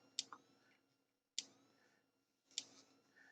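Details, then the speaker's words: Thunderbird TB10 battery strip-grazer fence energiser after battery terminals were cleaned, reading 2.8–3 kV, transformer shows no shorted turns, possibly a dodgy top connection: sharp even clicks just over a second apart; working normally. "well it is working we can't can't do much more than that"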